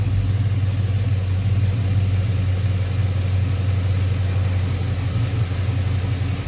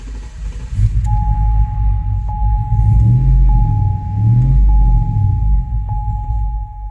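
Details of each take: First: 2005 Chevrolet Tahoe 5.3L 4x4 that was stalling (new fuel pump, P0174 lean bank 2), after a bad ground was fixed: a deep, even rumble at a steady pace with no stumbles or misses. A smooth, healthy idle. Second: 2005 Chevrolet Tahoe 5.3L 4x4, new fuel pump, P0174 lean bank 2, runs rough and stalls: low idle rumble surging and sagging under a steady chime, dies when given gas; first thought fuel starvation, cause found to be a bad engine ground.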